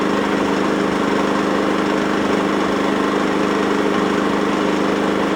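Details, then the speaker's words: Secondhand generator engine on E5/E10 fuel, after turning the fuel tap on, previously hunting and surging: steady, even idle with constant pitch, surge now gone; running smoothly. "hunting The Surge is now [Music] gone all right I'm happy about"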